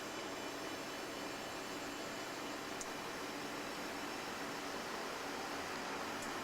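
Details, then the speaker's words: Modern fan, never oiled, first start of the season, on low with oscillator off: soft, steady airy hum with no ticking, rattling or grinding, motor running smoothly and better than anticipated. "well it's working better than i really anticipated it too so we'll just turn that off"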